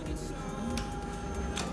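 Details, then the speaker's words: New Bajaj Dominar 400 that won't start, at key-on: steady faint electric whir with a constant thin tone as the fuel pump primes normally; pump ruled out as the fault. "escuchar la bomba se está activando ok eso no es la falla pero todos no hay que descartar nada"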